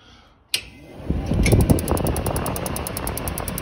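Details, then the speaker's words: 1982 travel trailer's DuoTherm 65017-64 forced-air furnace with gas disconnected, after adjusting the igniter electrode closer to fix intermittent ignition failure in freezing weather: steady sharp even snaps about three a second over blower rush, a good strong spark. "that's a good spark family"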